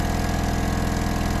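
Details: Diesel roller compactor that sat about 30 years, running with its lift pump disabled. Uneven thumping with pops, banging on one or two cylinders. Owner suspects fuel starvation causing the misfire.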